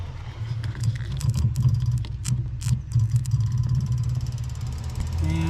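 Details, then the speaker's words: 1974 Corvette 454, first start of the season after winter storage, engine off: a temporarily rigged inline electric fuel pump clicks rapidly over a low hum, feeding a splitter to the carburetors. This is normal priming. "you can see she's hooked up with a clamp and you can hear the fuel pump clickity clicking so that should be it you can hear her charging up"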